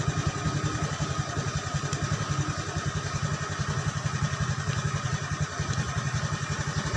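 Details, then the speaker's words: Honda Beat motorcycle after fixing total electrical failure, relay reinstalled: starts with steady even low putter at idle, clean regular beat, no knock or misfire; normal idle. "nah ini untuk mesin juga bisa hidup Nah itu ya kalian bisa lihat itu"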